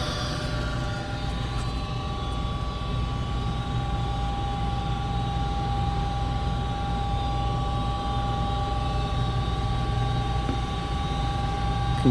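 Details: Goodman 95% AFUE gas furnace, first official startup of the 2019-2020 heating season, burner lit: an even low roar with a couple of steady humming tones, no surging, banging or rattling; normal furnace operation.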